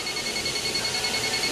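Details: Older Hyundai Elantra with no AC: infrared leak detector at the high-side service port, sensitivity medium, gives continuous rapid high-pitched beeping; refrigerant leaking at the high-side port (low side showed nothing).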